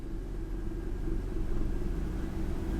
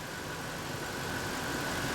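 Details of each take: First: Ford F150 4.6L V8 with code P0402, cold start after sitting about an hour, ECT 124 degrees: uneven, lumpy, stumbling idle with occasional dips. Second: Ford F150 4.6L V8 (code P0402) during EGR vacuum testing, with a finger over the vacuum port: a quiet, even idle with a steady hum and no stumbling; running much smoother; normal idle.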